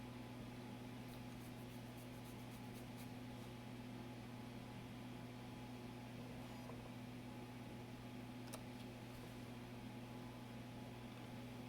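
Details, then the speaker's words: Floppy disk formatting after cleaning off suspected mold residue: steady drive motor hum with light head-stepping ticks, no hesitation or retries; formatted with no bad sectors. "No bad sectors. That disc has been rejuvenated."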